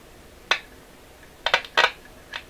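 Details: Canadian General Electric KL-96 tube radio under repair, probed in a tube's plate circuit. Sharp, irregular crackles and pops over a quiet hiss. The repairer suspects a faulty component near a coil showing 260 V on one side and 0 on the other; not confirmed.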